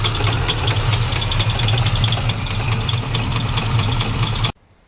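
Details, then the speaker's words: Chevy C10 pickup truck with 350 Chevrolet small-block V8 and cut exhaust, sat about five years: lumpy idle with a steady low knock under the exhaust beat until shutoff; a rod knock, the reason the previous owner parked it. "350 Chevrolet boys even with a rod knocking these things are better than most engines"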